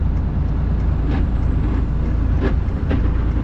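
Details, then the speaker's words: Hotshot truck, 549,000 miles, driving about 15 mph on the shoulder under load: heavy low rumble with rough irregular scraping bursts, truck dragging; drivetrain grinding, transmission, transfer case or clutch suspected, later towed. "because if something's grinding like that there's going the noises i am hearing are so bad"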